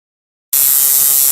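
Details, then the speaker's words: Coil tattoo machine running on its conventional mechanical contact-screw switching, before hookup to an electronic pulse generator: fast, even, high-pitched electric buzz, steady throughout; normal running. "here i have my tattoo machine running as it normally does using conventional mechanical switching operating methods"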